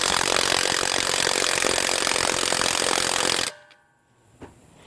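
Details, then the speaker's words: HANS 1/2" cordless impact wrench (rated 530 Nm) on a wheel lug nut, battery said to be full: fast rattling hammer blows for about 3.5 seconds, sounding weak and struggling versus a Dayplus; still weak after a full recharge, possibly a defective unit. "I may need to charge this thing up. It doesn't sound anywhere near like the Dayplus. It sounds like it's struggling."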